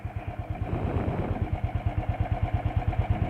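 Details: 2013 Royal Enfield Thunderbird 350 single, electric start, at idle: slow, steady thump of about three beats a second with even spacing and light valve clatter. A healthy idle, a character the rider was told is normal and by design.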